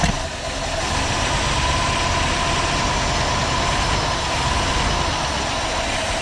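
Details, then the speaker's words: Old Ford engine that had been seized, freed after three days soaking cylinders in two-stroke gas and PB Blaster, now running with a steady ragged rumble and no clean even beat; rough running, cause not yet found. "it's so quiet don't sound great no it doesn't sound good but uh it does things"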